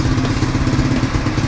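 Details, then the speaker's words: XR140 pit bike with swapped-in 125cc four-stroke manual-clutch 4-speed engine, warming up after start: deep, even single-cylinder thump, steady with no knocks or misses; healthy, though the exhaust is quiet, almost scooter-like. "I might put a different setup on here with a little bit louder muffler, just because it kind of sounds like a scooter."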